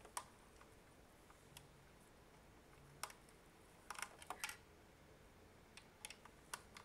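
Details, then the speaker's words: Nintendo Switch Joy-Con and Pro Controller charging dock, new out of box: faint clicks and clattering when moved, caused by a broken plastic peg loose inside the dock. "So that rattling would have been one of these pegs."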